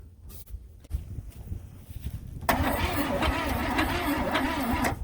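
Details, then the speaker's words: 1964 Buick Skylark, Buick 350 V8, sat in junkyard 30-plus years, spark confirmed: sluggish uneven cranking about three beats a second, never fires; starter or battery suspected to be slowing down. "and now I think the starter and the battery's getting you know it sounds like it's the starter or the battery one are slowing down"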